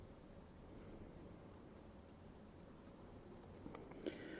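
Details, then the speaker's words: Sinnis Apache 125cc front brake lever light switch after replacement (the old switch was corroded and silent): light, crisp clicks as the lever is worked, showing normal operation, and the brake light works. "and as you guys can actually hear the clicking sound that's what how it should be the old one til one you can't even hear the clicking sound"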